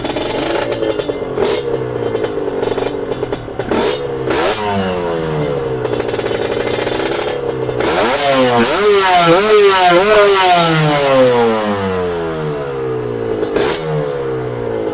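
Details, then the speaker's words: Kawasaki KR 150 two-stroke drag-styled bike with Thai two-stroke exhaust, already warmed, water pump on: crisp blips climbing and falling cleanly with throttle, no knock or rattle; runs strong, better than before. "It runs strong. "Yeah, clearly" It works better than before"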